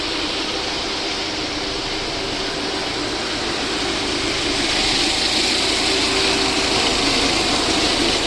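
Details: VAZ 2109 engine after a full overhaul: even, steady idle with a smooth hum and fast, regular ticking, no knocks or misses; normal idle.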